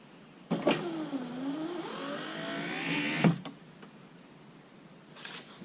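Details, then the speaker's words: Lincoln Town Car rear power window motor, run off a battery with heavier-gauge wire; a single slow upward climb of about 2.5 seconds ends in a thump. Up is a little slow but not terrible, and the window works. "Now, up is a little slow. Not terrible."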